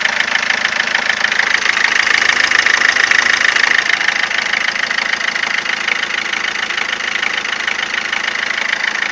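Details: 2007 Ford Fiesta 1.4 TDCi 69hp diesel at idle: a sharp, regular ticking clatter at about 200 per minute, harsher than normal injector chatter. Abnormal engine knocking, source not identified.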